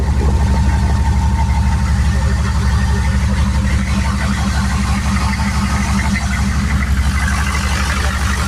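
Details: Turbo 6.2 diesel truck after adjusting inlet housing pressure, turned-up pump, 195° thermostat: smooth even idle, steady regular beat, quieter and cleaner, no popping because timing more correct; healthy.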